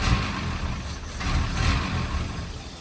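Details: 1963 Mercedes W111 with mechanical injection pump after cleaning the injectors and distribution block: deep, steady engine note swelling with throttle blips, running evenly without misfire or stumble.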